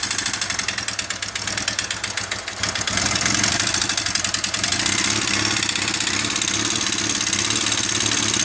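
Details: Honda CBR 450 SR single-cylinder, owner first suspected valve adjustment or a broken valve: catches and settles into a fast, uneven idle with harsh metallic clatter; teardown found the piston had melted.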